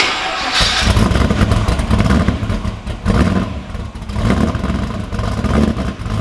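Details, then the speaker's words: Blown 383 stroker LS1 V8 in a VY Holden One Tonner ute, just after its first start on a base tune: a deep, lumpy burble with throttle blips, settling into an uneven cammy idle; sounds healthy. "Woo. How's that, mate? It's alive. It's alive after all this time."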